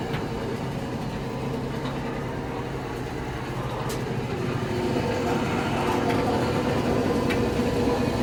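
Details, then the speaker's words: Samsung electric dryer running before repair: rough, gravelly metallic grind under the drum rumble, growing louder; idler pulley bearing suspected, quiet again after the pulley was replaced. "Something wrong in the belt, in the pulley. Maybe it's the bearing is bad, so I'm going to open up the one up."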